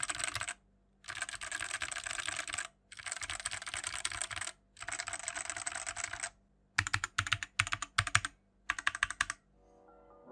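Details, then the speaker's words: BlitzWolf BW-KB0 60% hotswap wireless mechanical keyboard in a typing test. Bursts of fast key clatter with a loose, hollow rattle on the larger keys; the stabilizers rattle a lot. "That's because during the typing sound test, you can actually hear that the stabilizers do rattle a lot and they sound pretty bad."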